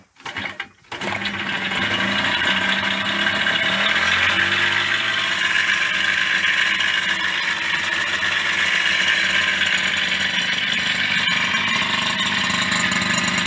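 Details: Yamaha DT50MX two-stroke: fires up and idles busily with a dry metallic rattle; starts and runs but sounds like something is wrong inside the engine.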